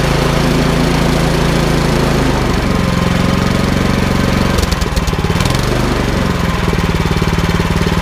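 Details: Troy-Bilt Storm 2410 snowblower with Power More engine, after carburetor work from stale summer gas and idle screw adjustment, warmed up: quick steady deep-thumping single-cylinder beat, no misses or surging; running normally.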